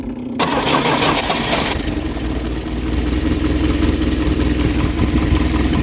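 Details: 1972 Triumph Dolomite 1850 automatic after ignition refresh with new electronic ignition module, testing module, its LED flashing red: short crank then catches and settles into steady, even idle with no misses; starting and running properly.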